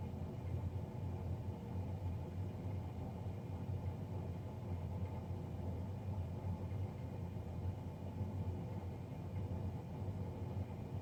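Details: Navien NCB-240 boiler, serviced Jan 31 2020 and recorded Feb 3 2020: constant loud droning rumble with a dull roar, unchanging; combustion fan running noisier than it should.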